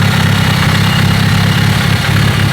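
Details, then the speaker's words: Built car after swapping old loud, clanky lifters for GSC zero-tick lifters: loud, smooth, even idle with a deep steady rumble and no clatter or tick from the top end; much quieter, normal idle. "I don't know if you guys remember how loud and clanky the old lifters were. Some people say the zero ticks from GSC don't really change how it sounds. It is so much quieter."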